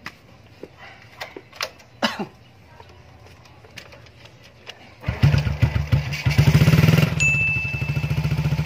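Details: Engine that would not start, apparently from water-contaminated fuel from a gas station: a few faint clicks, then it catches and settles into a steady even idle with a brief beep; running normally again.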